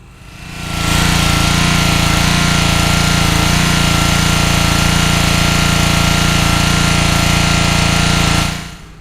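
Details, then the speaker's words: Troy-Bilt/MTD log splitter small engine running: a hard, rattling knock over the drone, growing louder over time, not engine knock but a worn jaw coupling spider (LoveJoy L090/L095) going bad. "All right, so you got to hear the noise. That's the noise I'm referring to, and some people may say that that's kind of a normal noise. But it's actually really not. That coupler is going bad."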